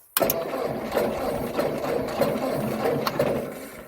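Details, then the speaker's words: 1958 Ford tractor, 6-volt positive-ground system, haying in July: starter cranks about three turns a second but engine never fires; voltage reaches coil and distributor, no spark because ignition points are dirty, later cleaned with gap checked near 20 thou. "I'm going to crank it over and see if we're getting negative to the points."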